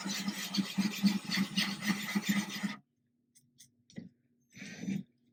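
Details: Ryobi drill with a diamond core bit drilling a thin-glass 10-gallon aquarium, kept wet and cold, slow and easy: a low drill hum with a gritty pulsing grind, then it stops. Normal smooth glass drilling.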